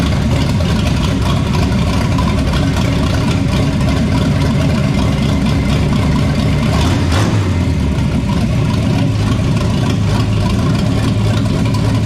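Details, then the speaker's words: 1973 Toyota Land Cruiser FJ40, sitting many years, revived with cleaned tank, fresh gas and oil, timing set, new headers: loud steady engine note, even rhythm, brief blip, no misses or knocks; normal running. "that sounded pretty damn good there though yeah i know"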